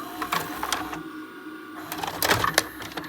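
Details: Repaired JVC DR-MV79B DVD recorder/VCR combo ejecting a VHS tape after auto stop at the leader: short light mechanical clicks and a brief motor whir as the tape unloads, so the eject mechanism sounds normal.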